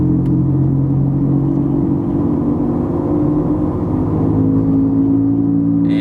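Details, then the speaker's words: Ford Falcon XR6 at about 60 km/h: steady low whirring hum over road noise that builds with speed, not tyre noise; worn wheel bearing hub. "at sixty yeah you really start to hear the whirring sound that's definitely not the tire noise"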